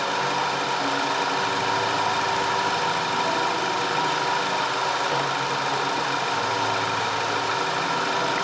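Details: 2010 Audi A5 Cabriolet 2.0 TFSI after fixing random and cylinder 4 misfires (P0300, P0304, P130A): steady even idle with smooth hum, no stumbles, ticks or knocks; normal.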